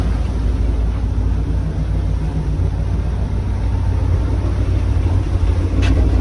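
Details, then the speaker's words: 1972 Ford F100 XLT Ranger V8 revived after 15 years' storage, not charging yet; heard from a disconnected tailpipe: deep, steady, even rumble with no popping or misfire; normal idle. "so this tailpipe is not connected but you can probably hear it it sounds real nice"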